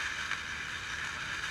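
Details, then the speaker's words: 1948 Hoffman radio-TV tube set, TV IF section with tubes pulled; steady rough static with irregular crackle, suspected silver mica capacitor disease in the TV IF. "I have a feeling we have silver my cadiz disease in the TVI f to hear the crackling"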